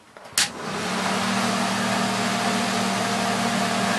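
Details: Ventline Ventadome RV roof vent fan, manual crank, no speed control: a steady loud whoosh with a low hum and faint uneven flutter once it spins up. It is noisy, wobbly and inefficient, blowing air back into the RV.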